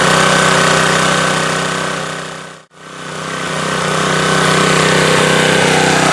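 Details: Subaru electric-start pressure washer engine after oil refill, watched for oil/fuel leaks (over-soaked air filter suspected): even, steady chug about four beats a second, no misses or knocks; runs cleanly.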